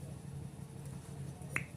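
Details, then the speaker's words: Hero Splendor Plus cylinder head off the bike, exhaust valve guide check done by hand without tools: a finger is held tight over the valve, then released. A sharp suction pop shows the valve and guide are sealing properly. "ये देखो आवाज़ आ रही है, ये देखो। तो वाल हमारा सही है।"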